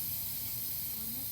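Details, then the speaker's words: Rivian R1S Tri-Motor, parked: steady, sharp hiss of air escaping fast from a big hole in a flat tire. "And I can hear the hissing. It's a It's definitely a big hole because Yeah, I can feel where the air is."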